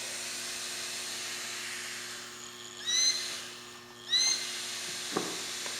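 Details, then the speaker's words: Trend Airshield Pro fan after cheap dowel fix, motor slid back into dowel without over-sliding to avoid blade binding, powered from battery pack: smooth steady high hum with clean rising whoosh, no rubbing or rattle; fan runs freely with good airflow. "Turn it on. And no problem. Nice airflow."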